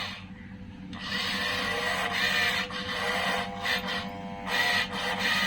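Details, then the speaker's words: Toyosaki voltage stabilizer (220 V and 110 V outlets) malfunctioning: steady low mains hum with irregular scratchy, rasping bursts; output measured at 37 V AC, abnormal buzzing, not working properly. "mungkin yang dimaksud teman saya itu seperti itu ada suara aneh jadi si stabilizer ini nampaknya tidak berfungsi sebagaimana mestinya ya"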